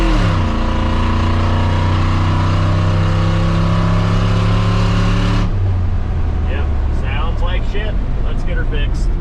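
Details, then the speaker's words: 2003 Silverado 2500 6.0 V8 before long-tube header install: loud raw roar with harsh unmuffled edge on the rev, fading to rough idle; terrible exhaust leak, dual exhaust broken behind O2 sensor with only one side connected to the muffler. "Terrible exhaust leak, super loud. It's a dual exhaust and only one side is connected to that muffler."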